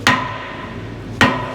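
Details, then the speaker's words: Two hammer taps on a machine's cast part give a dull thud with no ping, suggesting cast iron rather than cast steel; the part is also soft, files and grinds easily, so a different welding rod is needed. "I think it's more cast iron than cast steel right so if you listen to this you see how it's a dud yeah to Steel without pinging"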